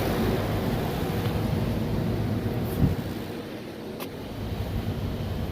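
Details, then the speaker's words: Noisy make-up air unit on startup: steady rough rumbling scrape with uneven rasp like rusted old disc brakes, dry metal rubbing; scraping noise, source not yet found. "yeah sounds like some rusted out old disc brakes"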